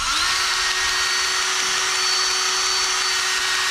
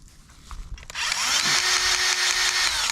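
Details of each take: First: Cordless grease gun greasing a Case IH 75C tractor loader: steady unbroken motor whine instead of pulsing pump strokes, little grease coming through; cartridge out of grease. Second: Greasing the L620 loader arm fittings on a Case IH 75C tractor: the grease gun motor spins up quickly and holds an even, steady whine with no labouring, pushing new grease through the joint normally.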